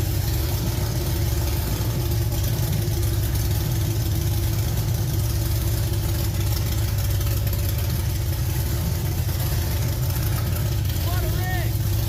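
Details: Budget dirt late model race car V8 on first start in about three years, running on a two-barrel carb with no throttle spring, a little smoky. Steady, even low rumble with no knocks or stumbles: normal idle.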